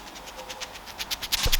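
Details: Trek bicycle Bontrager freehub, one of three cartridge bearings removed and spun by hand: gritty ticking bursts that quicken with a dry rasp throughout; bearings worn out, freehub felt rough and catching in the frame and pawls had lost their spring.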